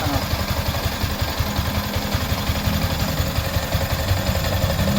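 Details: Yamaha Sniper 155 after water pump repair kit replacement and coolant bleeding: even, steady putter at idle with no whistle or whine over the exhaust note; the earlier pump whistle is gone, idling healthy.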